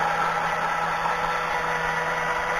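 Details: Hobby coil winder with new motor on rubber shaft coupling, counter running: smooth even hum at one steady low note, no knocks, rattles or speed hunting; normal running.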